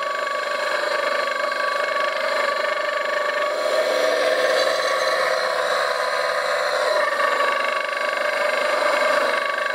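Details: CMG electric motor bench run: steady hum with a rough crunchy rattle, described as rod-knock-like and noisy at 50 Hz; worn bearings, cheap to replace.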